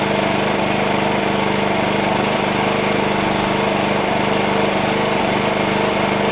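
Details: Wen 56203i 2000 W inverter generator (made 7/2020), just cold-started, eco mode, no load, about 60–62 dB nearby, 56–58 dB at 15–20 feet; steady quiet hum with faint even pulse, no hunting, healthy idle.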